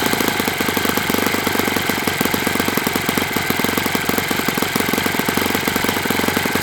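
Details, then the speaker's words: Enya 46-4C model four-stroke with air bleed carb on the bench, first run at 74°F in humid weather; high rapid buzz with slightly uneven, burbling beat at steady throttle, suspected a touch rich; owner may open the air bleed. "This features an air bleed carb. So I was doing my pinch test for 4 strokes and it seemed like it was okay, but it's a little bit more humid here than normal, so I might open."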